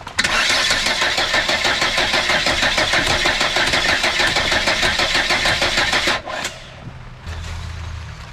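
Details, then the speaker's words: Volvo 480 after new HT leads: starter churns steadily about six seconds with no firing, then stops; crank no start, no spark. "Nothing. Nothing at all. So now I'm very curious if we have spark."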